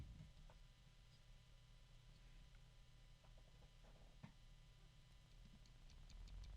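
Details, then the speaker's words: Bgears b-Blaster 140 small brushless motor with bad bearings, likely from rough shipping: quiet hum with very obvious uneven clicking through it. "and you can hear that very obvious clicking sound and I'm just trying to look and see if there's felt chopping fingers off if there's any um physical reason for it other than the bearings"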